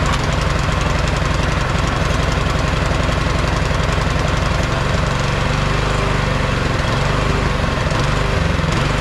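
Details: Neglected MTD Yard Machine 22-inch snowblower, 179cc (about 5 hp) electric-start engine: single cylinder chugs unevenly and surges. It runs on half or full choke and dies with choke off; carburetor cleaning planned.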